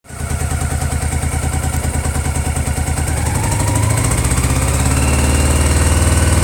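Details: Honda PC800 misfiring above 2600 rpm: engine climbs from idle with a choppy uneven beat growing rougher as revs rise; owner suspects faulty pulse generators.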